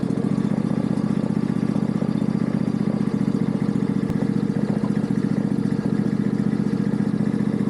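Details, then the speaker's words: Yard Machines riding mower: fast even ticking about four a second over a rough single-cylinder idle, only at startup and shutdown. Valve adjustment suspected; possibly rubbing under the pulley, and missing engine bolts let it rock. "Heard that. Valves definitely need to be adjusted. See, it only does it when it starts up, and when it shuts off, it doesn't make that sound the whole time."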